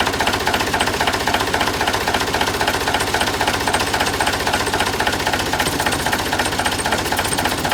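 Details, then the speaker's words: Volvo LM225 snowplow with years of weak brakes and an audible air leak, engine running with the air compressor under test: fast diesel clatter with compressor chuffing, pumping air but not strongly, and oil running from the plug. Broken compressor valves. "pumping air. Not very strong. Okay, there's a couple of things I've learned from that. Firstly, that's pumping."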